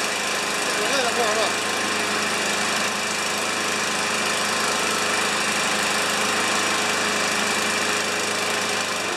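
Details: New Chinese-made 150cc mower (primer, no choke), first start after priming six times: steady, even buzz at constant speed, no rattling or scraping; running normally, no death rattle.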